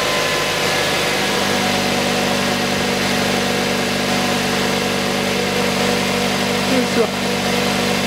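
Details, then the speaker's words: 2006 Mazda 3 1.6, after replacing the drive belt (AVANTECH 6PK2010), idler pulley (GATES T36418) and tensioner pulley (GMB GTA0490): a smooth, even idle with a low hum and faint belt whir. No rumble or chirp from the pulleys; the belt drive is healthy. "и цокотания с роликов нет. Ремень на ролике не гуляет, и ролик новый не гуляет, ходит"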